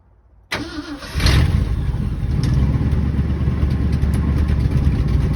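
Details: 1967 Ford F-250 Highboy, 352 V8, four-speed, 82,000 miles, revived after sitting, fuel cell and pump feeding the carb, no choke: short cranking, then a loud, rough low rumble struggling to stay running; hard start.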